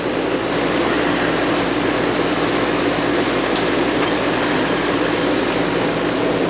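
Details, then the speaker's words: Goodman R22 AC condensing unit, outside unit previously not running, after repair and thermostat reset: steady even fan whoosh and smooth low compressor hum, no clicking or chatter, lines sweating cold; normal running. "stop a Goodman non-stop equipment nice and warm here but it's sweating already yeah she's cold man you're a runner"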